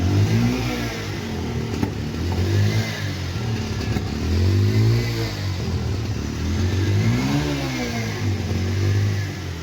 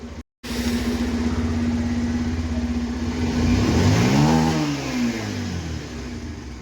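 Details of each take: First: Bajaj Pulsar 125 BS6 motorcycle with starting trouble: engine revs unevenly, stumbling and dying when throttle is given, a misfire traced to a closed-up spark plug gap; sensors and current fine, check light off. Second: Bajaj Pulsar 125 BS6, previously hard-starting and misfiring, after the closed-up spark plug gap was corrected: engine runs steadily and revs cleanly with no stumble or misfire.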